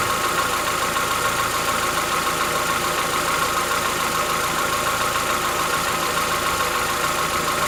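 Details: Chevrolet Onix 1.4 (2014-15), cold start; light even ticking about three per second at steady idle, lasting about 10 minutes, present since new and worsening yearly. Owner says it is inside the engine, not injectors, suspects lifter knock; dealers call it normal.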